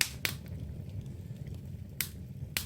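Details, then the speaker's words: Jetmaster open fire with damp-down drafting, newly lit: sharp irregular pops and snaps over a soft low rumble, the well-drawing wood fire crackling as intended. "But as you can hear the crackling, that's what we're always aiming for, the crackling."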